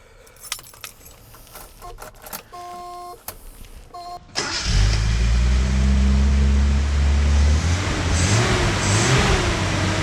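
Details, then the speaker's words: 1974 Datsun 260Z with 10,000 original documented miles, after a coolant flush, all new fluids and fuel lines. Key, brief crank, then a smooth, steady idle with no stumbles or knocks; runs and idles normally. "Beautiful. It runs and idles just like the day it came out of the factory."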